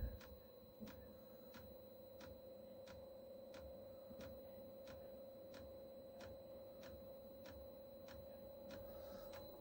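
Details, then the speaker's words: Chinese diesel heater fuel pump being primed with clean diesel to flush old oil from pump and pipes, heater not fired: sharp, even ticks about once a second over a steady hum; normal fuel pump ticking. "Oh, there we go. If you can hear that. Pump's ticking again."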